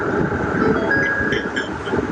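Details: Ford F-150 Raptor (Gen1) HVAC blower at full speed after reconnecting it, while the broken blend door was still awaiting replacement. A steady, even rush of air with no wobble or rhythmic hum: normal blower operation.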